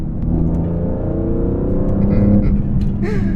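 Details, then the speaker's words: BMW E46 M3 SMG with CSL carbon intake and CSL engine/transmission tune, in cabin; quiet like stock below 3,000 rpm, then at about 3,500 rpm under throttle a deep induction roar climbs smoothly, no misfire or rattle; healthy. "Oh man, that was 3,500 RPMs, and it puts a smile on my face. This shit sounds crazy."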